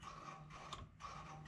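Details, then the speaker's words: 1999 Bobcat 864 skid steer troubleshooting a bucket that won't tilt down: the joystick test gives repeated whirring and ticking from the control actuator as the stick moves. This joystick works fine; the fault is suspected in the actuator or AHC computer. "working and that's also working so now we know that this joystick works fine"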